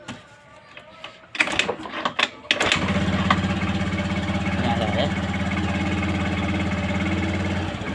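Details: Honda Vario 110 scooter after repair of the white stator (spul) wire to the regulator that was draining the battery: after a few taps and clatter it starts cleanly and settles into a steady, even idle, running with the battery removed.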